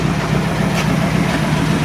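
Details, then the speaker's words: 1949 Mercury Meteor flathead V8, cold, after repairing a bent valve and missing keeper on a dead cylinder: a smooth, low, even idle burble with no ticking or knocking, oil pressure about 50 psi. Normal idle. "It seems to be running nice. That's sitting here cold right now. No ticking, no knocking, it's smooth."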